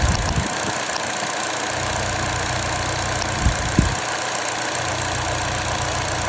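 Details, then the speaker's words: Vauxhall Astra petrol with a misfire, cover removed: uneven lumpy idle with dropouts as the cylinder 2 ignition coil arcs out and spark doesn't reach the plug, causing the misfire. "so we can already see there that that cylinder 2 is aring out and the the spark isn't firing all the way through to the spark plug and that's what's causing our misfire"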